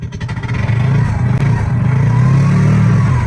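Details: TVS King Deluxe three-wheeler (bao-bao), after replacing high-tension wire for stalling, hard starting and low power uphill: catches and settles into steady low throb with brief rev blip, no misfire; normal start and idle.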